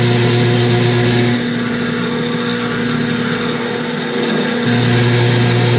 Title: KitchenAid making grinding noise losing and slowing down when higher speed